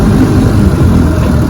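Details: Fully restored 1958 Johnson 18 HP FD-12 two-stroke outboard, lake test at full throttle: steady, even drone with no misses or knocks, smooth continuous run across the water; normal running.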